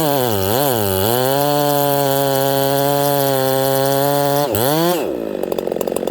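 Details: Ported Homelite 922 chainsaw after clutch and fuel line repair and a cooler heat range plug; blips a couple of times, then holds a clean, steady high scream and bites into wood with no stumble; normal running and cutting.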